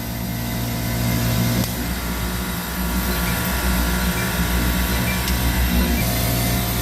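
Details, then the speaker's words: Copeland digital scroll compressor under its controller module: a steady low hum shifts tone and level every few seconds as the unloader solenoid energizes and de-energizes. This is normal load/unload capacity cycling; with the solenoid wire pulled it runs at full capacity. "okay so where was i so yeah so you can hear this compressor and what you're hearing is this solenoid energizing and de-energizing"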